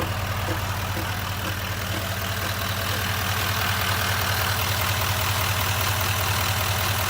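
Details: 2019 Chevrolet Silverado 2500 HD L5P diesel at idle; loud crisp even tapping about two and a half times a second from the front of the truck, above the clatter; cause unknown.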